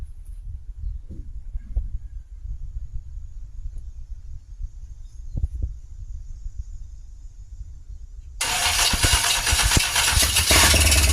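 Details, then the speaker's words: 1957 Chevy 210 with 350 Vortec swap, first start without front accessories or water pump, fuel poured in carb, timing roughly set: quiet eight seconds then V8 catches, runs rough and loud with an unexplained weird noise. "I don't know what that weird noise was, but I fired up way too easy."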